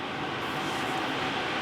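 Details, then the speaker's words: Levoit 400S (VeSync) air purifier just after a new filter is installed and the unit is plugged back in. The fan gives a steady, even airy rush at high speed with no rattle, tick or pulsing, running normally. "And here you can hear it already going pretty strong."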